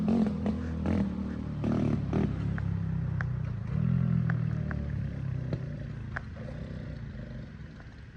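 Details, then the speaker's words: Swapped-out 110cc engine on a three-wheeler, choke on, before fitting a new bigger carburetor: revs unevenly, sputtering and breaking up under throttle, then fades and stalls; sounds horrible, cause unconfirmed. "and it [Music] died sounds horrible with the choke on"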